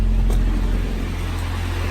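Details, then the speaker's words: Honda B16A freshly installed in a 2000 Civic Si clone with a freshly rebuilt transmission, idling: smooth low steady gearbox hum with no whine or growl; input shaft bearing sounds reusable. "So this transmission is just real fresh too, just been done. So that's cool. Everything's fresh, except for, it sounds like you can probably reuse the input shaft bearing."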